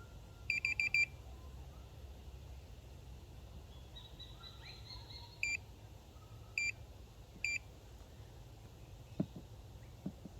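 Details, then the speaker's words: Minelab Pro-Find pinpointer on maximum sensitivity testing a pin tip: quick string of high, sharp beeps then single chirps seconds apart; detects the tiny target only when right next to it. "tip of a pin very small and it picks it up but you have to be right next to it"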